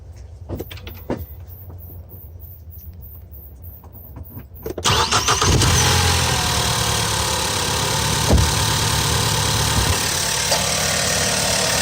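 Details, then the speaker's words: 2014 Ford Focus SE naturally aspirated, just after oil catch can install: quiet cranking catches after about five seconds and settles to a smooth, steady idle with no misses or knocks; runs no differently than before. "didn't make no difference in how it runs, but it'll save me from getting gunked up intake valves"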